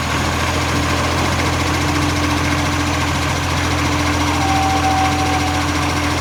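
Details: Brisbane garbage truck diesel at idle: steady rumble with a quick, uneven puffing chuff on top; a blowing exhaust leak.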